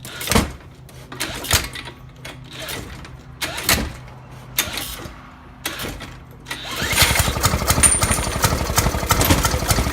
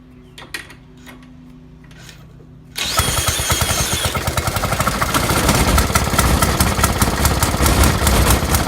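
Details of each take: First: 1916–1918 Maytag 1/2 hp engine, first start in about three years since restoration: a few scattered pops, then fast uneven chuffing once it catches; irregular firing, owner suspects ignition timing is off. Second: 1916–1918 Maytag 1/2 hp single-cylinder engine, first run in two or three years, after flooding: dead quiet, then catches and settles into rapid uneven popping near 146 a minute; firing normally.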